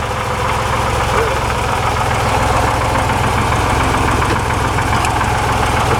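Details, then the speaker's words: 1961 Corvair Lakewood wagon, rings and valve job done, original rod bearings, idle turned down on both carbs. A fast, uneven metallic rattle over the fan roar varies each crank revolution and goes away with slight throttle. Loose cam/crank timing gear suspected; oil pressure low. "maybe the gear is rattling but it's also got loyal oil pressure which could be two separate things"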